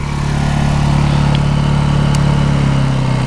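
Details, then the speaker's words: New Honda EU2000i 2000-watt inverter generator with Eco Throttle off, running fully idled up, no load: smooth even low hum at constant speed, no misses or surging; quiet for its size, healthy full-throttle running. "it's about as loud as it'll get so I'll step back so you can see how loud it really is I mean it really is pretty quiet for a small machine that's with it all the way idled up"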